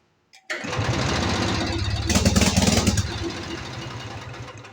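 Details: Aging Lincoln Lincwelder 225 welder generator, air bleed turned out to a full turn and having idled perfectly: cranks, catches, runs roughly a couple of seconds then sags and winds down, failing to hold idle and stalling; cause not confirmed.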